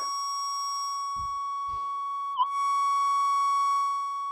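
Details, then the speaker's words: Minelab metal detector with 175-inch monster coil, low gain, normal mode, near road and power lines during electrical storms, microphone on speaker; steady high whistling tones with no target, power-line-frequency electrical interference noise. "road so we're going to cop a lot of electrical interference but uh yeah we got the detector on low gain as well"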